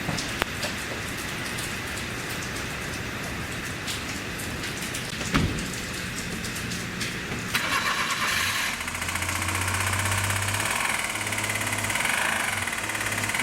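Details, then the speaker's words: Suzuki Carry 4WD truck engine started: rapid uneven metallic clatter through the idle, internal damage; suspected spun crank bearing or cylinder head tappet knock, engine to be replaced with a rebuilt one. "おそらくクランクのメタルが飛んでるか、あとはシリンダーヘッドのタペットを打ってるかというような形の音だと思います。"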